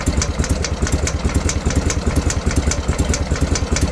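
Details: BMW R51/3 boxer twin at idle: a light sharp tick about twice per second over the low lumpy idle, top-end valve-train origin unknown; owner checked a suspected clearance and doubts it is the cause.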